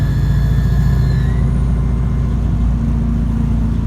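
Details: 2014 Alexander Dennis Enviro 200 bus, heavy diesel running with a deep, uneven throb pulsing three or four times a second, not its usual sound; abnormal engine noise, cause unknown.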